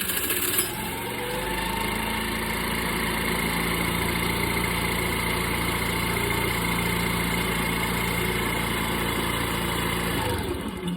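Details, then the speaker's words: Scooter that kept dying with a dead battery, tested at idle after battery charging stopped, reading from the rectifier; smooth steady even hum with no misses or knocks, so the charging system seems healthy. "This is at idle, so imagine when it's running RPMs, it's going to be charging over 13 volts."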